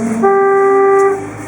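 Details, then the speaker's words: 1958 Chevrolet Bel Air on its first drive since 1971 after restoration work: loud steady two-tone horn blast about one second, set off by turning the wheel; horn contact fault. "I'm sorry I don't mean to honk at everyone"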